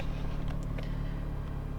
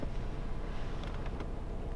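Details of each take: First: Opel Zafira A 1.8i X18XE1, cold engine, lambda not yet working: low idle pulses and wavers unevenly, car getting shaky; owner complaint cold-start misfires, stalling, rich mixture, no fault codes; rough idle traced to faulty MAF sensor. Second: Opel Zafira A 1.8i (X18XE1) petrol engine idling with a steady, even low rumble and no stumbles or misses; not acting up at the moment, despite owner's complaint of cold-start misfires and stalling; normal idle.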